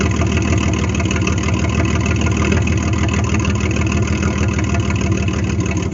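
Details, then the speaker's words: 1998 GMC Sonoma 4.3-litre V6, revived after sitting for years in swamp grass: low, steady rumble holding an even idle with no misses or knocks; the engine runs fine. "I'm gonna assume the transmission works because the fluid looks good the engine runs good"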